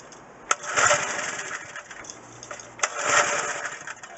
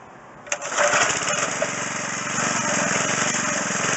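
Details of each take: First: McLane edger small two-stroke with a cleaned carburetor, choke down. It catches with a rough buzzing burst, then sputters and cuts out repeatedly. The idle mixture is too lean. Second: McLane edger, small single-cylinder engine, after carburetor was stripped and flushed, fuel lines unclogged and idle screw turned out half a turn: steady, even buzz at half throttle with no surging or sputter; running properly.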